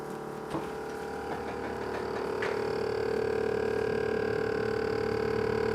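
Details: GE Profile PSS26SGRC SS refrigerator: steady mid-pitched hum with a whine that swells louder from the freezer side; loud humming, freezer fan suspected.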